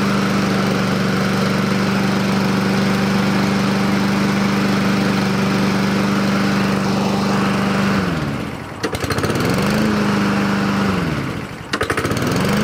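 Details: Husqvarna push mower with auto choke, after sitting a long time and a spray of carburetor cleaner: small engine holds a steady, even note, dips twice with throttle and recovers; runs clean now, carburetor judged not dirty.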